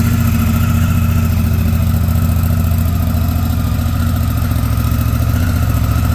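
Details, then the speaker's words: 2019 Honda Africa Twin CRF1000L idling after first start in almost six months and a stuck-throttle fix: steady, even low rumble with a regular beat and no knocks or misses, running smooth. "ribed it up and sounds good running smooth too"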